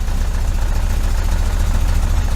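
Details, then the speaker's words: 1973 VW Super Beetle, 1745cc engine with dual Dellorto FRD 34 carbs, balance-tube tuning test: deep, lumpy, uneven thumping while running on only two cylinders, with a hiccup and no steady idle. "you crank it up and then with two cylinders I've got a little bit of a hit a little bit of a hiccup when he did that just a little bit"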